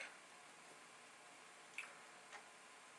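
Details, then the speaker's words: Commodore 1541 disk drive after chip work including a 6522, running a repeated disk-format torture/burn-in test. A quiet drive with a few crisp, isolated ticks as the head steps between tracks. Normal formatting. "and it will keep doing that for a while, and then we will see. So you can hear the head doing its thing."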